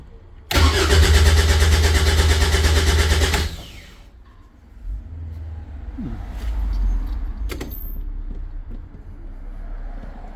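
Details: Caterham 7 620S, cold after sitting overnight: starter spins engine steadily about three seconds then quits, never fires; immobilizer suspected, fuel pump primes; cause not confirmed.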